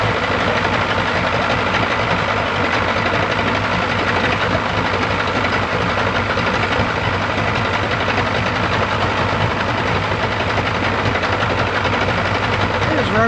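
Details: 1995 Yamaha 75hp two-stroke outboard on a pontoon boat, running after water pump replacement, not yet fully warmed up: steady, even idle with a constant buzzy drone, no misses or surging; normal idle.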